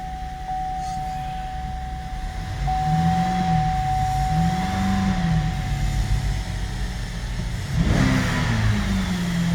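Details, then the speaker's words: 2015 GMC Acadia 3.6 L, after adding about 2 quarts of oil to a bone-dry engine and clearing codes P018C, P0193, P0201, P0203, P0452: fires right up, smooth idle, revs cleanly with no misfire; no codes return. "And she will rev."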